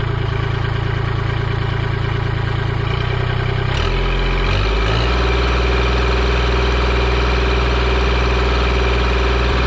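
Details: Kubota L2501 diesel tractor started after its 400-hour service including fuel filter change, owner unsure about air in the line: runs steadily, then throttles down to a lower even idle with no misses or hunting; normal idle.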